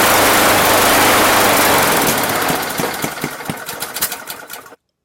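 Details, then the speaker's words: Free Craftsman lawn mower with Honda OHC engine after valve adjustment: rough running with sharp pops and backfires, two or three a second, fading until it dies; owner suspects timing, will try a coil first. "and then it just like just hear that that popping in that backfiring I mean that is to me that's like timing all the way"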